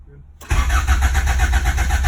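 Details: Honda B20 VTEC turbo swap, just installed, cranks with an even chuff of about seven beats a second but never fires; the ECU gets no power despite good fuses and a new main relay, and the owner plans a new tucked wiring harness.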